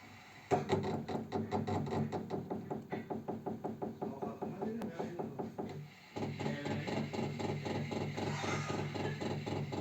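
Sharp, even ticking at about four per second around the radiator over a steady idle; the cause of the tick is not identified.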